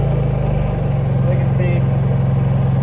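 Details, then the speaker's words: Honda EU3000is inverter generator after surging fix, eco throttle on, before heater load applied: low steady thrum with no hunting or surging; normal running. "I'll plug that in to put a load on this thing see how it feels but it's already running a lot better"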